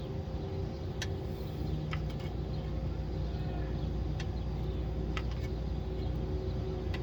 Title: 305 SBC/TH350 - Ticking Noise - Torque Converter Failure or Cracked Flexplate ?